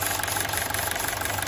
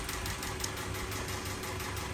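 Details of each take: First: 2012 Honda City with factory CNG after gas ECU replacement and injector cleaning: engine idles evenly with steady smooth beat, no misfire or stumble; normal idle, engine now stable. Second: 2012 Honda City with factory CNG, shaking and sluggish on gas, no error codes, before gas ECU replacement: uneven idle with a ticking, stumbling pulse; rough idle from a faulty CNG gas control box.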